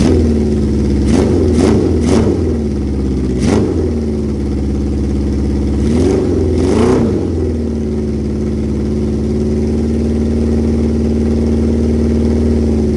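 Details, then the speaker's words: Motorcycle from a previous build with stainless Delkevic four-into-one exhaust and Cone Engineering 12-inch muffler: even idle with clean throttle blips, smooth rise and fall, no knocks or misses; normal running. "it is a stainless and sounds great when mated with the cone engineering 12 inch muffler which is exactly the setup we're going to be using on this bike"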